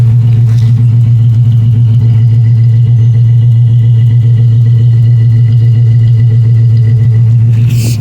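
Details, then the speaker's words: 1971 Mercury Comet V8, after fixing a vacuum line and cleaning a fouled plug on an old tune-up, was previously running like a seven-cylinder: now a deep, steady, even warm idle with no skips, all cylinders firing cleanly. "it sounds like a V8 now instead of uh just a weird seven cylinder engine it's obviously you had the fastest seven cylinder around you know but um this definitely sounds good"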